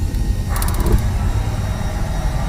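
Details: Magnet-type gas water heater being diagnosed for banging or exploding on ignition, with the module being checked before replacing parts: quick burst of about seven sharp igniter ticks, then the burner catches and holds a steady roar. Normal ignition.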